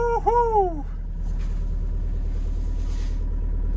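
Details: Six-and-a-half-ton DX63 digger that stopped suddenly three weeks ago, after a flat-spotted shaft was pulled and turned 180 degrees: brief squeal as it fires, then a steady, even diesel idle without stumbling; clean start, problem fixed.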